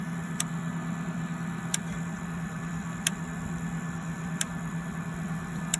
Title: Clicking Noise 03